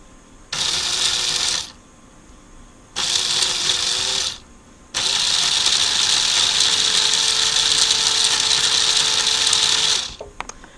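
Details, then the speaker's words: 1994 Lionel RS3 Happy Holidays (6-18837) motor tipped on its side, wired to board outputs, run forward: high buzzing whine in two short bursts, then a longer steady run, slightly coarse but even; doesn't sound the best but not terrible, a tired, dirty motor. "Let's hit it forward. Doesn't sound the best, but not terrible."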